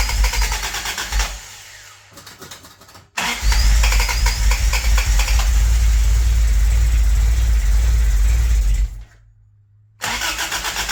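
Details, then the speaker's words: 4A-swapped Toyota Tercel wagon right after fitting a Schneider Racing regrind cam and new valve springs, timing light hooked up, vacuum advance capped: strong steady cranking with pauses, never catches; owner suspects wrong timing, possibly the belt. Cranks but will not start. "sure sounds like that timing's wrong every time never fails right"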